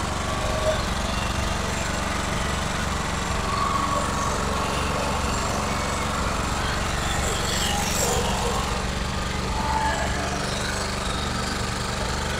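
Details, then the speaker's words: 2.8 kVA Sumec Firman generator, which a client says is noisy and uses a lot of fuel: loud, harsh, rapid putter of about four beats a second with raspy blow-through from a leaking exhaust. "yeah so you can see the G is very noisy very noisy very very noisy"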